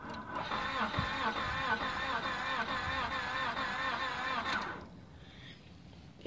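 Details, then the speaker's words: 1998 Honda Accord towed in, cranked with jump starter: fast, free, even cranking whir with no compression rhythm and no firing; broken timing belt. "that don't sound good broken timing belt"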